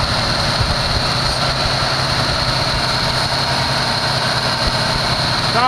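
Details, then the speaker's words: 1974 Chevy Nova V8 that sat long, first start on fuel poured into the carburetor: steady fast roar that never settles, idle far too high because the choke is still on; heavy smoke. "up way too high someone cranked that idol up why'd they crank it up like that i see it's the uh the choke is still on"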